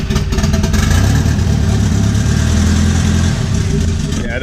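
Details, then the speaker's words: Lumpy, uneven revving with an off-beat throbbing exhaust note, a misfire. Spark plug wire first suspected, but crazy blow-by from dipstick and oil cap shows a melted piston or ring after full-throttle drifting. "like that I thought it might be a spark plug wire that came off or something but then I pulled the dipstick and there's an extreme amount of blow by coming out same with the oil cap just crazy blow by"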